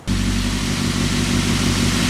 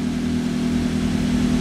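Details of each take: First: Toyota Avanza/Daihatsu Xenia just after starting, complaint of unstable idle sometimes high, sometimes low; fast steady idle over 1000 rpm against about 900 rpm standard, read on a scanner, no misfire: high idle. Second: Toyota Avanza/Daihatsu Xenia, previously with an unstable idle and check engine light on, now after repair with the lamp off and rpm down from over 1200: a steady, even idle with no misses or hunting.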